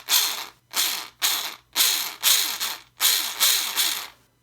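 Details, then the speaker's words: Losi SBR front differential turned by hand before teardown: harsh ratcheting bursts, about two per second, with teeth skipping and grinding; it sounds dry, though grease was found inside; cause unconfirmed. "So here it is, and it does not sound too good. Sounds pretty bad, actually. A little better here. It sounds like it's dry too. Doesn't sound like there's any grease in it."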